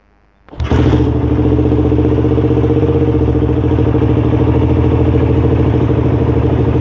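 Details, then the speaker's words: Suzuki Satria FU (Thailand model, no dynamo) motorcycle cold start after sitting over a week unwarmed, slightly weak battery, kicked in neutral: one kick catches straight away and settles into a steady, even idle with no knocking or misfires; normal healthy cold start. "Coba kita engkol ya. Ini belum saya panasin teman-teman, udah seminggu lebih ya."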